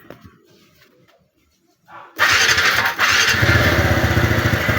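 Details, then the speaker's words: TVS Ntorq 125 scooter after repair: valve clearance adjusted, timing chain tightened, fuel injection and throttle body cleaned, cover not yet screwed on. It starts and holds a steady, even idle. The earlier rattle is gone and the engine is quiet. "So ayun mga boss, troubleshoot ko na yung motor, resolved na yung ingay niya, wala nang kalansing. So ang ginawa ko, in-adjust ko yung valvula, pati yung timing chain."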